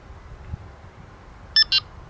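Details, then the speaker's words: Delkim TXi-D bite alarm gives two short bright double-tone beeps after a quiet pause, confirming the tone setting has been stored. "memorizzazione avvenuta."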